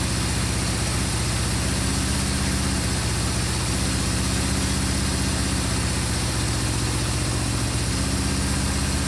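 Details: 1974 Honda CB550 after static timing, cam chain and valve adjustment and carburetor synchronization: smooth, steady note with even pulses, no hunting or missing; idle adjustable from about 500 up, carbs synced, normal running.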